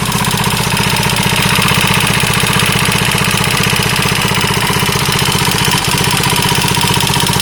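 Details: KTM 640 LC4 single at idle with a hard, regular metallic knock about four per second, steady and prominent; engine knock, owner unsure whether top end or bottom end.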